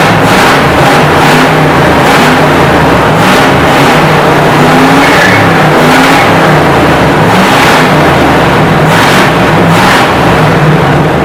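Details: 1968 Chevy C10 V8 just revived after sitting 15–16 years on old fuel: repeated clean throttle blips rising and falling crisply without misses or knocks; good oil pressure, healthy revving, maybe needs a touch of tuning.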